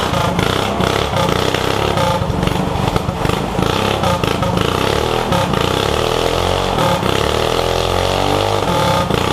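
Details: Yerf Dog go-kart with a 212 Predator non-Hemi engine, billet flywheel, 80-pound springs and Mikuni carburetor: strong, even single-cylinder bark holding steady speed with no misses or knocks; modified engine running healthy.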